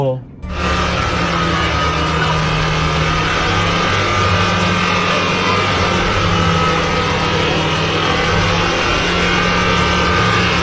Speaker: raungan mesin tereak sekuat tenaga mesin kontak Udah dimatiin ya